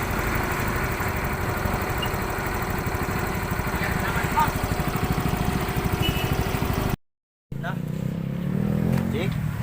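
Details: Yamaha Mio i 125 scooter, single-cylinder, after a crank-but-no-start fault was traced and fixed: the engine starts and ticks over at a steady, even idle without stumbling, running normally.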